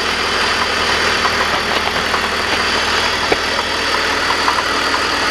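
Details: BMW 330i idling after primary chain tensioner replacement: uneven galloping clatter of light knocks over the hum, only at idle, gone when accelerating; car still drives well.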